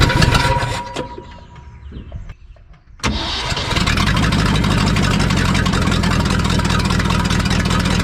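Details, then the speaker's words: 1974 Ford F-750 dump truck sitting 4–5 years, rebuilt carburetor, spark confirmed: ragged, uneven cranking with faint catches for about three seconds, then it fires and settles into a steady run; long cranking before start. "Yeah, it sounded like it almost fired, so let's keep on cranking."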